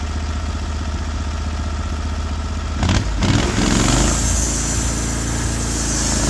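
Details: Norwood HD36v2 bandsaw mill with new roller guides replacing the ceramic guides, slabbing big black oak into 1.5-inch slabs: the engine drone drops and deepens as the blade enters the wood, then holds an even loaded note. The cut is flat and effortless; normal cutting under load.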